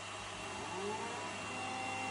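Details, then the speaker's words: Creality Halot Mage 8K resin printer, powered on but not printing, with the carbon-filter fan switched on: steady high airy jet-like rush with faint whistling, louder than the machine's cooling fans alone and than a Sonic Mighty 8K; excessive fan noise. "et voilà c'est encore pire juste pour vous montrer ça c'est la différence de bruit avec la Sonic mighty 8k"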